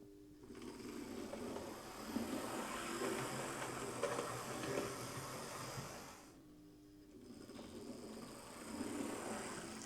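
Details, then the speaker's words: Two Hornby HST power cars on the test track after servicing and rewiring, made-in-China one first, one with its motor replaced. Even, soft buzzing hum on both; they seem fine, normal motor running. "Yeah, they seem fine."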